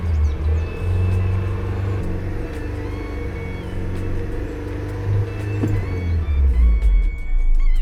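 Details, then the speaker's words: Honda Civic Mk8 held steady at 3000 rpm in neutral with parking brake set during a scan-tool VTEC test; steady, even drone with no knocks or rattles, engine normal. "Please keep the engine speed at 3000 revs. Hold the accelerator pedal steady."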